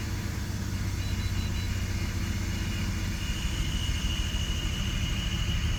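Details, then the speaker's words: BMW E46 after CCV vacuum-leak repair: a lumpy, uneven idle with irregular thumps persists, with misfire codes for cylinders 1 and 6. "bad news is that the rough Idol is still there we had we eliminated five misfire codes though so we're down to 301 and 306 so the first and sixth cylinder are misfiring"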